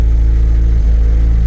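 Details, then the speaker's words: Nissan 240SX after wiring cleanup, old ECU still fitted, before dyno tune; deep steady low idle rumble with slight wobble, no hunting, idling much better but slowly getting rich, needs a tune. "it is pretty all right now it's slowly getting rich here for whatever reason so yeah needs a tune definitely"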